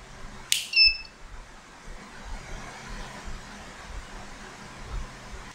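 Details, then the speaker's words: Rolling-door UPS (CD4013/LM324 board) fed 28 V at input: two short high beeps about five seconds apart; boost stage not starting, suspected L317 charging section gives enough current to charge battery but not to start boost; unconfirmed. "Nó nháy như này có khả năng là cái cụm L317 này nó sạc ắc quy, nhưng mà nó không đủ dòng sạc để khởi động cái phần tăng áp nhé."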